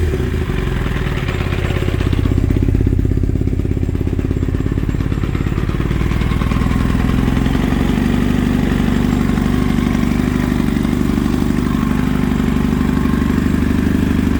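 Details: Kawasaki ZX9R four-cylinder, sat 10+ years, first start on 2-cycle gas poured in, fuel off, running the bowls dry; loud lumpy clattery idle, weird vibration felt in the handlebar controls, just doesn't sound right; abnormal engine noise, cause unknown.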